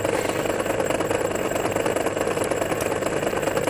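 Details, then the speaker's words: MORI MA-100 antenna rotator running on the bench after reassembly, alignment out: coarse buzzing motor drone with an uneven, rough pulse and jerky feel as it rotates fairly fast; abnormal rotation noise, cause unclear. "there we go actually it's quite fast in a sense but a really weird sound that comes from it as you can hear as it rotates around and so we've got around here a jerky funny feel"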